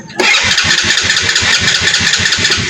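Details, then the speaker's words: Motorcycle, possibly a 110, that won't keep running and backfires loudly on start: after catching it sputters and pops unevenly about eight times a second; a rusted spark plug lead and cap are breaking up the spark. "Palyado palyado siya pero kanina trinay ko talagang napakalakas ang kanyang backfire."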